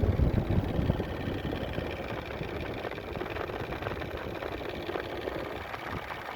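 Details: 2000 Toyota 4Runner 3.4L V6 petrol at idle: quick, rough ticking clatter that sounds almost like a diesel.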